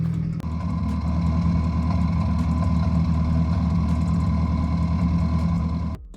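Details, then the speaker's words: Subaru WRX FA20 2.0L turbo at start-up and idle, heard from the back: lumpy uneven idle with irregular stumbles, misfire from a stuck-open fuel injector found wet, diagnosed via Cobb Accessport fuel correction. "You'll immediately hear it misfire if it even cranks over easily the first time."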